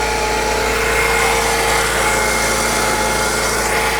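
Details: 2002 BMW E46 M3, recently converted from SMG to 6-speed manual, after an electrical burning smell: engine idles with a steady high electric whine that never drops away, smoke from the middle, car wouldn't shut off; starter stuck engaged and overheating.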